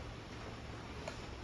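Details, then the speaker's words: 1959 Ford wagon with standalone Lincoln Town Car EEC wiring, battery just reconnected: single soft click about a second in over a quiet background as the fuel pump relay pulls in; normal fuel pump relay click. "So let's go ahead and hook this battery back up and just see, are we going to run? There goes fuel pump relay here right now."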